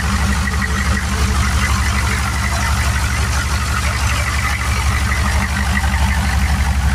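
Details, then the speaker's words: Turbo 6.2 diesel truck after adjusting inlet housing pressure, turned-up pump, 195° thermostat: even steady idle clatter about three firing pulses a second, no popping or misses, quieter, timing more correct; healthy. "She sounds a lot quieter, a lot cleaner. Idle's not as poppy because the timing's more right."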